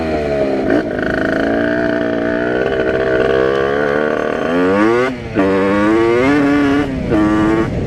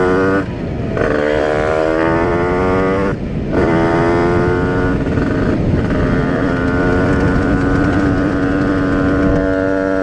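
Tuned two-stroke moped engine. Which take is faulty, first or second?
first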